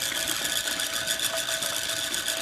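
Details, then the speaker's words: Chicago Electric dual drum rotary rock tumbler from Harbor Freight, running: steady high buzzing whir, constant pitch, no rhythmic knocking. Loud noise comes from the motor and drive mechanism, not the drum. "as you can see a lot of the sound is from the motor and the mechanism not so much the rock canister"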